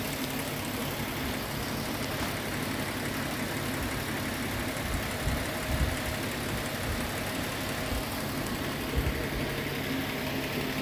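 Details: 1991 Toyota Hilux with swapped-in Tacoma 4.0 V6, after lean misfire corrected; even, steady hum with no stumble or skipped beats, smooth consistent idle.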